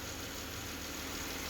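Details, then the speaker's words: Engine after a ticking-motor repair with both oil gallery plugs now tight and the battery just reconnected: smooth, quiet, even idle with a steady low rumble and no ticking; the VVT system and oil pump are working and the valve train sounds healthy. "oh but yeah that is freaking quiet let that all really get up there vbt system guys the oil pump is doing its thing"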